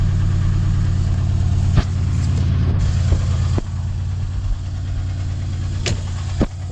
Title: 2012 cls550 engine knock no cel seems to be coming from passenger side of the motor